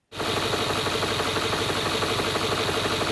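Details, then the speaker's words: 2011 Range Rover V8 bought at auction, idling with a steady fairly quick engine knock; cylinder wall scoring found by endoscope, compression to be checked. "my name is waldo and in part one we managed to get this vehicle running but we discovered that it has an engine knock"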